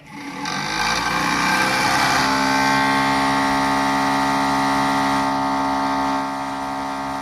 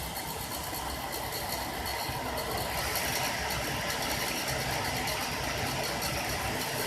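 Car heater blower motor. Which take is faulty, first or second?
first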